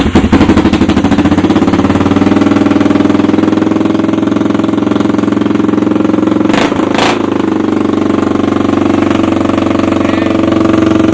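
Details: 1986 Honda Foreman 350 ATV after carb cleaning, starts easy, given a little tickle with a screwdriver; steady quick single-cylinder putter with no misses, clean healthy normal idle.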